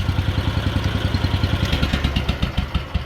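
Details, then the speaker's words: Wheel Horse 857 garden tractor engine, first run after 2 years idle, puffs black smoke on throttle: uneven, lumpy low thumping about three beats a second with clatter, hunting and stumbling as if rich. Owner suspects the carburetor's rubber float needle. "so I think the carburetor needs a little bit of work um maybe the needle I think this might have one of those"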